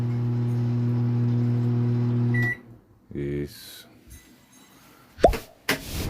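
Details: Philco microwave powers on but does not heat, droning with a heavy, deep buzz.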